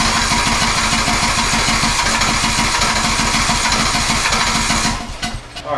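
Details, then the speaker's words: TroyBilt riding mower from April 2008 cranking steadily for about five seconds without catching, despite having spark. It wasn't getting enough gas, so a quarter tank was added to reach the fuel filter. "So anyway, it wasn't getting enough gas, so I put about a quarter of a tank in there so it could get to the fuel filter."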